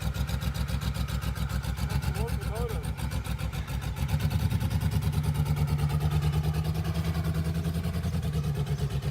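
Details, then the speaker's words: Ford F-150 revived after about ten years, first moving under its own power: steady rapid puffing tick over a deep V8 rumble while creeping along; owner says it has exhaust header leaks, likely the cause. "Jim said this thing has some header leaks so that's probably what we're hearing"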